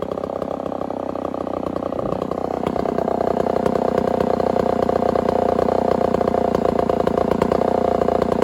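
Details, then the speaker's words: Homelite 1050 100cc two-stroke chainsaw with 404 chain, first cut in wood: steady high thin buzz under cut, strained and never gaining power, running lean despite richening; owner suspects a serious air leak. "well that 1050 isn't running so hot guys um i keep riching it up and it's still running like it's lean so we got some sort of a serious air leak going on"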